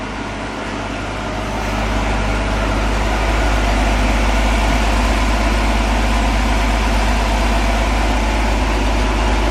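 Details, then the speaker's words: 1965 Ford Econoline pickup after replacing a slipping clutch, driving in gear with a little choke: a steady low engine drone holds even revs with no slipping surges, knocks or grinding; normal running in gear. "Sounds good, don't it? Yeah, about the same."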